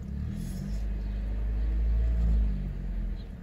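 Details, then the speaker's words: 2004 Chevrolet Malibu 2.2L Ecotec after upstream oxygen sensor replacement: low, smooth hum revving to 2000 rpm and settling below 1000 with no hesitation or stumble; runs clean, no check engine light. "The engine is roaring. Hopefully you can hear it. 2000 RPMs. Drops down below 1,000. There is no hesitation. There is no jitters."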